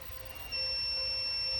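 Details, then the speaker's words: Speed Guardian alarm buzzer switched by relay on new RX480E-4C receiver chip with bad power delivery to the data line: steady high beep starts quiet and slowly ramps to full volume, unlike the old RX480E-4. "but I'm going to turn on the relay and it starts out really quiet and it gets louder and it gets louder and it gets louder"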